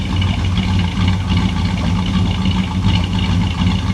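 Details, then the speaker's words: 1957 Chevy Bel Air V8 with carburetor just re-tightened, true dual exhaust without crossover, cold start: deep steady burbling rumble at a settled idle, no misses or ticks; normal idle. "doesn't she sound good I like where the idle sitting at sounds nice"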